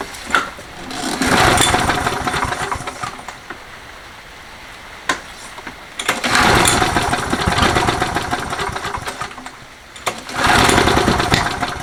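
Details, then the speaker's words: Toro 20789 mower with Briggs & Stratton Intek engine that has trouble restarting when hot: repeated pull-start coughing and sharp pops, backfiring on restart; carb primed 4–5 times with no change, valve clearance to be checked next. "T'entends les retours de flamme et tout ça quand on essaye de démarrer."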